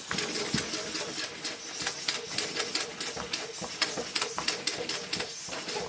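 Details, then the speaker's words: Maxwell Hemmens Birmingham dribbler steam engine under steam test: quick even chuffing about four a second with a thin dry squeak; owner attributes the squeak to impurities in the water. "That squeak you can hear is the water squeaking. Yeah. Because the water, it's got impurities in it."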